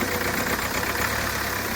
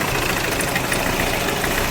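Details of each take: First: Hyundai Creta diesel, idling after its engine timing was reset; it had earlier developed a knocking rattle, white smoke and starting trouble following engine work elsewhere. Even diesel clatter at a steady idle with no knocking, misfire or wandering speed; normal idle. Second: Hyundai Creta diesel after an outside engine job and a timing tensioner replacement, knocking again after about 300 km with white smoke: harsh clattering knock over a rough idle; jumped timing and a bent connecting rod.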